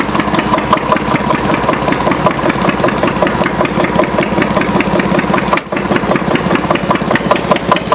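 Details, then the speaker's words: Antique Witte 12 hp diesel genset, 8 kW generator, switched onto about 4,000 W heating-element load (50%): heavy deep even chugging with a brief dip, exhaust note changing; healthy running under load. "Listen to it. Really hear the change in the exhaust note."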